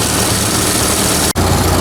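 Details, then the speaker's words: Old engine first run after work, carburetor mixture reset to a factory setting, small exhaust leak noted: steady even beat at constant speed, no misfire or stumble; normal running. "all right she's been running really good actually really good"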